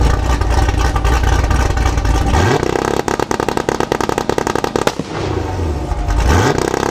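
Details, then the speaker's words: Modified 2019 Camaro SS V8 (tuned, Stage 3 cam, headers, catless X-pipe, E85, nitrous) on two-step at 2500 rpm: loud, rapid, fast irregular popping and crackling bursts from the exhaust as the limiter holds revs. Normal two-step limiter pops. "Wow now I was inside the car with the windows up and I could hear that those pups are insane out"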